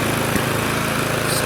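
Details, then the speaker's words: Neglected Victa Sprinter mower, warming before oil change: steady high-idle buzz with an occasional spit or pop; owner unsure how much trash is in fuel tank, governor spring dodgy, oil burning off in muffler. "just giving the occasional spit um don't know how much trash is in that fuel tank"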